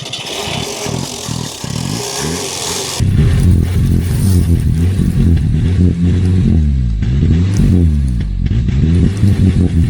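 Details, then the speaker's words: Old Renault engine revived after 26 years unused, running on sprayed fuel: rough but steady lumpy beat with some clatter, firing well; coolant full but circulation unknown, no fan. "Sounds good. And this one's also full of coolant. We don't know if it's circulating."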